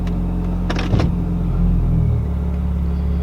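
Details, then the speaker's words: Car with automatic transmission and a very tight torque converter, fuel pressure 74 psi, shifted into gear; heavy low rumble with a single dull clunk on engagement, then smooth idle, normal for the tight converter. "then we're gonna put it in gear you're gonna hear it clunk my converter is extremely tight so don't worry about that clunk"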